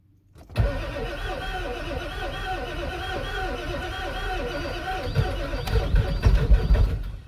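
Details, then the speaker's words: Ford 7.3L Powerstroke diesel with a mechanical lift pump (no electric pump), a new fuel tank and filter, and a fuel bowl left empty for days, cranked in neutral: steady cranking at about four turns a second without catching. Long crank, fuel prime lost. "Oh, it's close. Very close. Yeah. It ain't been started in a while."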